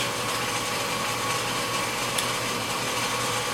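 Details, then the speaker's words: 30" Covington lapidary slab saw after replacing a pulley melted by a stone caught on a segmented blade, belt slightly worn: even motor hum with light hiss and no belt squeal, slip or knock; runs smooth after the fix. "Okay, so there we have it. Nice little fix."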